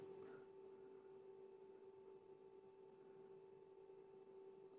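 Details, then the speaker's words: MP9486A buck regulator test board after fitting an SR5100 100 V 5 A Schottky diode, 12.5 V input, ~200 Hz burst: faint steady high-pitched whine; new diode works correctly, normal operation. "210 kills quindi quasi uguale a prima il nuovo diodo sembra quindi funzionare correttamente quindi questo diodo shotchi in effetti è compatibile con"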